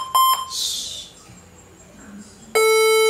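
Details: HP ProBook 440 G7 powered on with charger only, battery disconnected: short high beep then longer lower beep at startup; battery ruled out, hardware fault suspected, RAM to be tested next.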